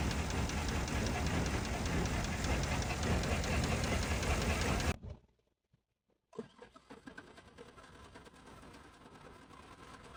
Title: P0300 Engine Misfire and Abnormal Noise GMC Sierra #mechanic #shorts #automotive